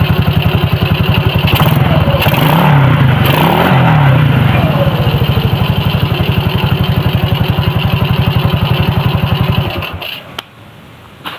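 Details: Suzuki Shogun motorcycle engine after the worn crankshaft bearing was replaced (originally rough, worse with throttle) idles evenly, revs up a few times, then shuts off, with no knocking or rattling: now normal.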